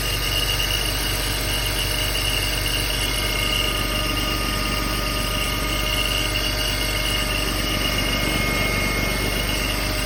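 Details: BMW X3 3.0i E83, 2004, 129,000 km: about 12 seconds after a cold start, a steady chirping or ringing rides over the idle. It occurs only at idle, vanishes with slight throttle or once warm. The owner suspects the timing chain, an accessory, the AC compressor or the water pump.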